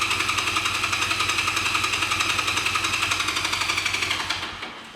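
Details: 1985 Honda Rebel, 2,000 miles, first start after 17 years stored, fresh fuel, choke not yet set: steady starter cranking about four beats a second, engine never catches, cranking trails off; no start.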